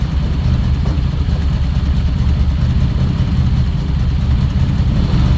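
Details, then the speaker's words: 2008 Ford Escape after finally starting from a no-start: low, lumpy, uneven rumble that never settles to a clean idle, while smoking and pressurizing the cooling system; rough running. "so I hope everyone can hear we are running but it does not sound good"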